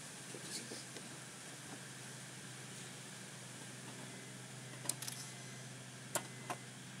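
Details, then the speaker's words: 2000 Mazda 626 LX V6 automatic, no-start fuel pump check: several sharp light clicks over a quiet hum as the key turns on, the circuit (fuel pump) relay and others clicking normally. "as you heard there multiple relays clicked on this Mazda 26 626 when you turn the key over the relay will also click while you crank the car because that's when the fuel pump primes in this car"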